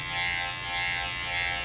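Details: Cordless barber hair clipper, bought on Black Friday and in daily use: runs with a harsh, thin, high-pitched buzz instead of a smooth hum, a sign the clipper is failing.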